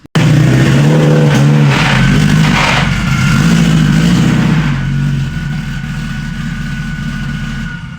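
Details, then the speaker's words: Subaru STI 6-speed transmission being pulled into a trailer after failing at the track: engine drone with rough clunking, knocking bursts as the car creeps along; gear teeth broken inside the gearbox. "It made it. made some clunking and yeah. some pretty This was bad all noises. these were all the bad noises. It was all the teeth."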